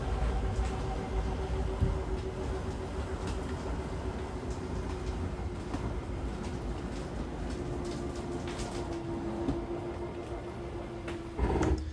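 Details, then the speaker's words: 2022 Zinger 328SB travel trailer slide-out extending: steady motor hum, then a short gritty gear grind as the slide reaches full extension and the motor hits its limit; normal, release the switch. "once you hear that little gear grinding noise go ahead and let go that just means that your side is fully extended and uh it also means that the motor is reaching this limit that's why it makes that noise so you don't have anything to worry about it's completely normal"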